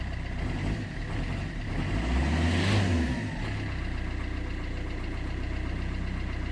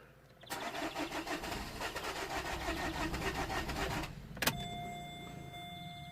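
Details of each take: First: 2008 Vauxhall Corsa 1.3 CDTi (Z13DTH) diesel idling after the intermittent no-start with no codes was fixed without parts: an even clatter after a brief swell. It runs perfectly, with a little smoke from the intake work; normal idle. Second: 2008 Vauxhall Corsa 1.3 CDTi (Z13DTH) diesel with an intermittent no-start and no fault codes: the starter churns evenly for about 3.5 seconds but the engine never catches. Crank, no start.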